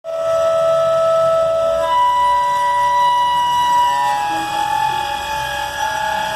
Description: Flint Hills grain derailment Abilene, Ks October 2019 brakes locked up very high pitched squeal